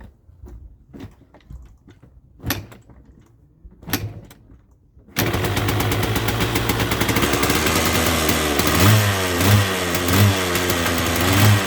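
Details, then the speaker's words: 1979 Yamaha DT175 Enduro two-stroke with oil injection, previously hard to start, howling and would not go into gear: runs with an even buzzing beat after a few loose clunks, with no growl from the gearbox now. "oh well it was quiet got to do something more that kick starter doesn't want to swivel in there good well it was quiet"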